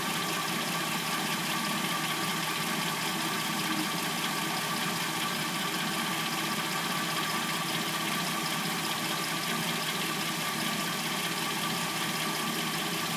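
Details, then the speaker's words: 2006–09 Hyundai Sonata replacement engine, started after sitting overnight and now warm at idle; fast, light clattering from the top end, which the owner assumes is the timing chain, though this is not confirmed. "we're going to hear what the car sounds like from start until when what I assume to be the timing chain, um, before it starts making its little clackety noise. can hear the timing chain noise."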